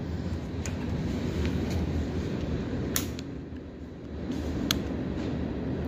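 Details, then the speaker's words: 1985 Honda Big Red 250ES on a cold start: it settles into an even, steady low thrum with no knocks or misses. Sounds very good; a normal cold start. "Sounds very good."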